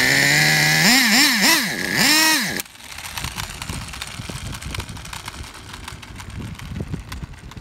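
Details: Traxxas Revo 3.3 nitro RC truck engine: high buzzing revs in several quick blips, pitch rising and falling cleanly, then cuts out. Engine healthy; truck needs new transmission, spur gear missing teeth, starter motor and one-way bearing.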